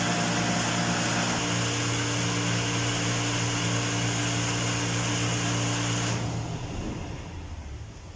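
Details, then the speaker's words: Fire pump on cistern tank after new gate valve fitted, star-delta start: even, steady motor hum with smooth whirr, no knocks or rattles, then cuts off and winds down; no leak, running normally. "Ay, ayos na. Wala nang leak. Bagong gate valve ng fire pump."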